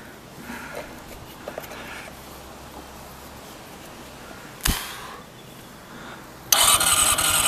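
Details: Honda CBR400RR NC23 whose carbs need balancing; the fuel pump was not heard priming. Silence, then a brief burst of fast, even starter cranking with no catch or firing. Cranks but will not start.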